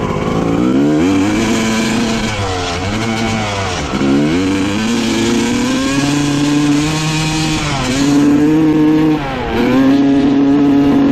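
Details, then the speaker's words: 1995 Honda CR250 two-stroke dirt bike with the old flywheel refitted: revs climb, then sag and stumble repeatedly as the throttle opens. The bog is traced to the faulty old flywheel; the owner guesses a magnet may be off. "I cannot believe that it was a flywheel all along that is absolutely insane"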